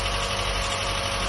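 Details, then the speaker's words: Mazda MX-5 Mk1 on its first start after standing about 10 years, cold: rough, loud idle with a fast, busy ticking on top. The owner suspects oil is still working its way around after the long layoff; not confirmed. "It's working! Listen to that! It's ticking a lot though."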